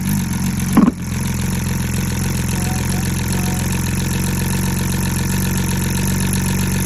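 V6 idling with a slightly uneven, lumpy beat under the steady drone, consistent with a misfire at idle; the cause can't be told by ear.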